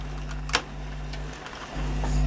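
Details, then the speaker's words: Kenwood XD-351 mini hi-fi (1998) CD changer after replacing drive belts: low hum, light clicks, small motor whirs as tray closes by itself and checks for discs; mechanism now working normally. "let's turn it back on and see if that resolves the problem well it closes by itself"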